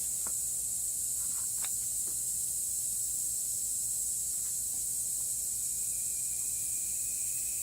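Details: 2016 Toyota Highlander tire raised on a jack while being plugged with a plug kit: steady, thin, high hiss with no rhythm, air escaping through the small tread puncture; tire air leak.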